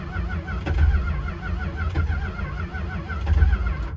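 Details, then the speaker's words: 1964 Chrysler New Yorker, parked over two years, cranking with quick start sprayed in: uneven cranking with weak, scattered catches that never take hold, sputtering. No-start attributed to fouled spark plugs; the owner also suspects the cap, the wires and a dirty carb. "well i've had absolutely no luck getting the car to start it was sputtering"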